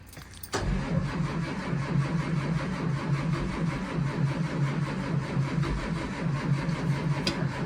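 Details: 2004 Blue Bird Vision bus (built 2003), pre-emissions 7.2L Caterpillar C7 210HP diesel, cranked cold at about 23 degrees; it was plugged in earlier in the week and still hard-starting. Even, labored starter churn for several seconds, never catches: extended cranking, no start.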